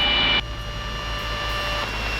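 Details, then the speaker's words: Light retractable-gear airplane in descent with power pulled back too far. A steady high gear-up warning tone sounds over a low engine drone, sounding like a stall horn, because the landing gear is still up. "So now that tone that you're hearing is the landing gear alert. It sounds a lot like a stall horn, but it's just letting me know that the gear is still up."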